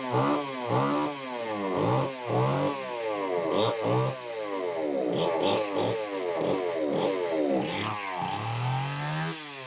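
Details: Homelite XL-903 chainsaw after carburetor work, stiff fuel hose possibly not letting filter sit in fuel: surges and falls away about every two seconds, never settling to steady idle; won't run on low speed circuit, lean.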